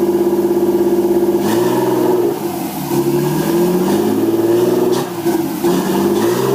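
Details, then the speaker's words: Nissan 240SX S13 with an RB20DET, second start after rewiring the harness, with no mass airflow sensor fitted: revs rise and fall cleanly with no ticking or knocking, a quiet, smooth engine: normal running. "it sounds really good like like awesome there's absolutely no noise in the engine whatsoever run smooth and just overall really impressed with the way that it does run"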